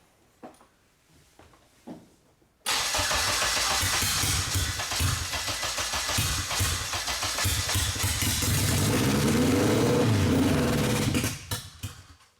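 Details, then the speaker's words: First start of a 600HP AWD turbo Honda Civic build with a new fuel system and return line: the engine catches and roars, running uneven and stumbling with surging revs. The crew suspects too much fuel; this is not confirmed. "So this is the first start. All right, you go ahead and crank it. I'm gonna stay up here. Just too much fuel."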